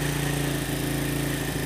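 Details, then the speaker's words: Honda Supra motorcycle fouling spark plugs black with black smoke despite new carburetor, being adjusted: steady fast buzzing idle that won't settle at fully closed throttle; carb air screw set too far open, idle speed too high. "Oke, RPM langsung teriak ya Kang Bro. Padahal itu tadi cuman di busi."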